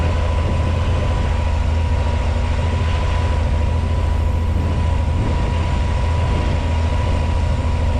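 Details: 1986 Pontiac Fiero SE V6 with known high idle problem; steady unwavering hum and firm low rumble at 1,220 rpm per timing-light tach after start, runs well; owner suspects vacuum leak, idle control or sensor issue: high idle.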